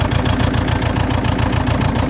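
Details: Saab 9-3 1.9 TiD diesel (2007 or 2008) idling lumpy, one firing stroke regularly dropping out, with white smoke, after new glow plugs, alternator and battery were fitted: misfire, cause unknown.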